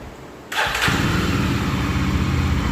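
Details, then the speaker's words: Yezdi Roadster after tightening loose cover bolts that caused body noise: brief starter whirr, then the single fires at once on one press and settles into a steady, even idle thump; self-start works properly. "जैसे कि आपने देखा यहाँ पे starting में starting होने लगी है। अब फिर से स्टार्ट करके देखते हैं एक बार। तो 1 सेल में स्टार्ट हो रही है, 1 सेल में गाड़ी स्टार्ट हो रही है।"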